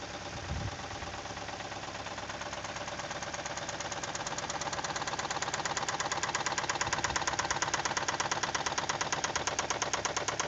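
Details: Toyota with 2E engine, running after about five minutes at 155 km/h by speedometer: sharp, regular metallic knocking, roughly two per second, clearly over the engine and growing slightly louder; source of the knock unknown.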